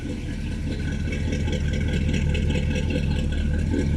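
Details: V8 with TH350 automatic, new seals, Hooker headers and dual straight exhaust with Flowmaster Super 44 mufflers, first start after years laid up: deep even burble, steady low pulse, no knocks or ticks; normal idle.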